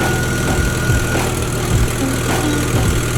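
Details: Jeep after replacing two blown 50 amp alternator power fuses: even, steady low idle rumble with no misses or knocks; charging restored, engine running smoothly.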